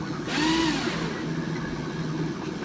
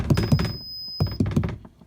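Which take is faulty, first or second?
second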